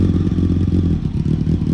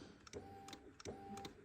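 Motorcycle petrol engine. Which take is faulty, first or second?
second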